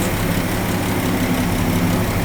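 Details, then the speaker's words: 1961 Ford F250 pickup with worn 223 six-cylinder, first run during revival: smooth, steady low idle with no knocks or misses; fan belt may be a little loose, timing sounds close; normal idle. "doing pretty good sweet Mama sounds good yeah it does hot doggy wonder how many horsey Powers it's got"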